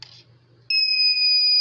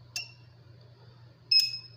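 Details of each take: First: Intelbras XNB 720 BI UPS, dead after city power drops, powered from bench supply in place of battery with amperage raised: clean steady high beep after a short pause as it starts normally; likely just a bad battery. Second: Intelbras XNB 720 BI UPS, dead after city power drops, battery replaced by bench supply set to 13 V: two short high chirps then a steady one-second beep, no running hum, won't start; current limit suspected too low.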